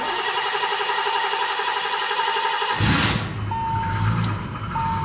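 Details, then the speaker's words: Car with power steering: starter cranks evenly under three seconds, catches promptly and settles to steady idle with mild power steering pump whine, which owner says is normal; healthy start. "And don't you know, it just runs like it's supposed to, eh? That's the power steering pump making all that noise, which is normal for this thing."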